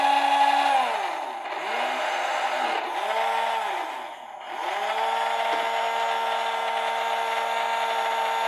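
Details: RNLI Severn Class RC lifeboat by Zappies, drive motors on a large 3S LiPo via adapter (owner fears ESCs may overheat): high electric whine swoops up and down a few times, then holds steady pitch; running smoothly.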